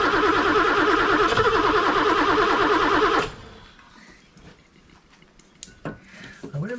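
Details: BMW E9 3.0 CSi barn find, stored over 20 years, during a first start attempt: steady starter cranking at about three turns a second for three seconds that never catches, then goes quiet. It cranks but won't start; the cause is unconfirmed.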